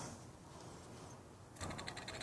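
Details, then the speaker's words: Small motor spun: a quiet lead-in, then a harsh, gritty scratching from bad bearings. It is one of several motors checked, some of which had bad bearings from new. "Then I heard a third one had bad bearings, so I decided to make a video, and I checked them all to make sure I have all the motors."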